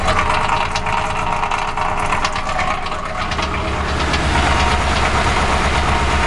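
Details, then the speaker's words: 2006 Crown Victoria Police Interceptor, microphone near the catalytic converters: loud, uneven idle with irregular knocking through the exhaust and the engine shivering; rough idle, cause not yet clear. "anyway on top of the radiator oh man so hear that noise listen i'm right at the catalytic converters"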